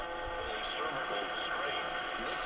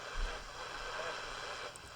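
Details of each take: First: Westinghouse H-712P9 AM/shortwave radio after replacing capacitors: loud, full broadcast sound with steady tones and little fading; very sensitive, working well, alignment likely not needed. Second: Westinghouse H-712P9 AM/SW transistor radio, volume at maximum: faint, hissy audio buried in static and not very loud, as if warming up; owner suspects failing electrolytic capacitors or possibly a bad transistor; not confirmed.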